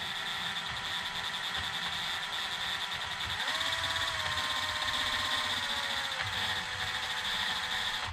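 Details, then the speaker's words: Traxxas X-Maxx drivetrain spun on the bench: high, thin gear whine over raspy hiss, rising in pitch with speed; owner suspects an out-of-round DJI 50-tooth gear, unconfirmed. "that's the noise that uh the gears are making"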